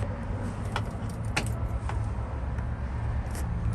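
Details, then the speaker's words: GMC 7000 boom truck with 366 big block, 80,000 miles, in neutral, key on before cranking: steady low electric hum under a few key clicks, the electric fuel pump priming normally. "it's got an electronic fuel pump which we should be able to hear"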